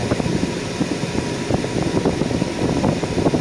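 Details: 2008 BMW 328xi E90 with A/C on full: steady, even idle under strong A/C fan, no dips or kicks as compressor loads; rough idle that worsened with A/C now fixed.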